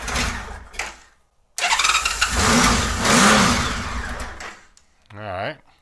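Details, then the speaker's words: 1999 Honda Valkyrie Interstate, not run in over two years, carbs unserviced, fuel just turned back on: catches and runs ragged for a few seconds, surges, then fades and stalls; won't hold idle. "thank you does not want to stay running that idle at all it's almost like the idol is"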